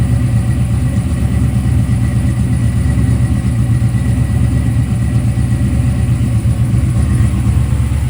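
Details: Freshly built 1995 LT1-based ERE-383 stroker V8 (Eagle forged crank, 5.85" rods, Holley Terminator X) on an engine run stand. Steady, even low rumble with no knocks or misses; healthy normal idle. A water pump leak from a missing gasket was noticed afterward.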